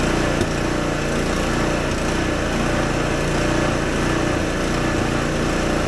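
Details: Husqvarna ST 124 24-inch snowblower, 212cc engine: uneven surging and occasional sharp exhaust pops from lean mixture, factory set very lean; clogged carburetor jet, easy fix.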